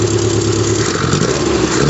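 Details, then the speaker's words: 1974 MG Midget four-cylinder after carburetor kit upgrade: holds a steady drone then picks up smoothly as throttle opens; great throttle response, no stumble. "you got some uh great throttle response on that so I'm excited"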